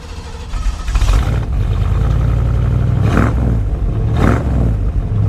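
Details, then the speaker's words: 1970 Chevy Suburban V8, just bought: fires and settles into a loud, lumpy, deep idle with throttle blips; runs pretty good but rich overall. "snow she's running pretty good pretty rich overall very solid ride"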